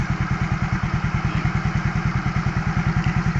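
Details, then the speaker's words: 2014 Yamaha Mio GT scooter brought in for smoking and stalling: smooth, regular idle with no misses or knocks, no fault codes, sensors and actuators normal, no exhaust smoke. "nah di kilometer ini dirasa normal ya ini tidak ada gipan miling apapun berarti kondisi sensor dan aktuatornya normal"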